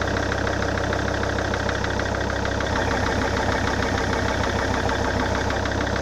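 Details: SsangYong Rexton 2 diesel after engine overhaul: loud idle with a steady low knock about three times a second; source not identified, blamed on the overhaul.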